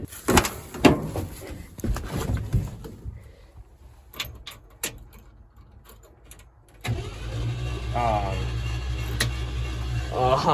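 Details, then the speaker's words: 1976 Ford F-150 Custom, believed to have a 360 and 97,000 miles, that sat 22 years, cranked on a fresh battery with spark plugs removed and fuel line disconnected: the starter spins it fast and evenly with no compression pulses; turns over freely. "What? I mean, it spins over. That's really weird."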